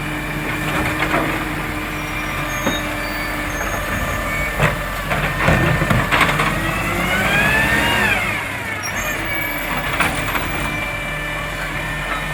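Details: Marion garbage truck SL01300 diesel after exhaust leak repair; steady running under street noise, brake air hiss and a rising rev, no exhaust ticking or puffing; normal running.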